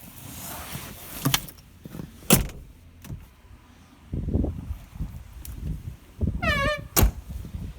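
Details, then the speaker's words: 1986 Porsche 944, 143,000 miles: power window motor runs with rising chirping squeak near end of travel among door clunks; owner calls it a pretty bad squeak expected to ease with use. "It's got a pretty bad squeak on it, but that'll come out with some time."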